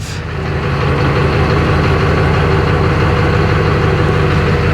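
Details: 2004 GMC 3500 Duramax diesel just after an oil change with a deep pan (about 3 gallons), idling in drive after shifting through the gears to prime the pump. Deep, steady, even low rumble with no knocks or whine; healthy.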